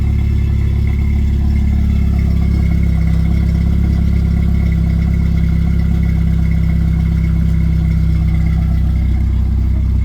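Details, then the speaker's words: 1991 Jeep Wrangler YJ 2.5L four-cylinder with new Flowmaster Super 44 muffler temporarily slipped on: steady even idle, deep subdued exhaust drone, no rattles or puffing; muffler tames the note, much better. "we're just going to fire it up with this just slipped on over it see what it sounds like much better"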